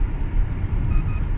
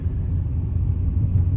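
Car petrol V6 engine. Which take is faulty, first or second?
second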